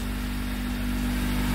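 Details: Dodge Caliber being repaired for power loss and stalling, fuel pump feed from the TIPM fuse box; after restoring power, steady even idle with a smooth low hum and no knocks, misses or surges, although the fault later returned on the road.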